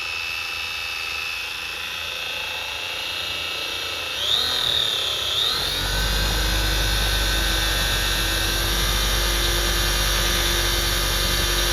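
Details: 3D-printed Frankenstein RC car differential (nylon spur and diff gears) held on the workbench, 600 W motor spinning up unloaded: a high whine climbs in pitch, then holds a steady smooth buzz; gears running freely without grinding.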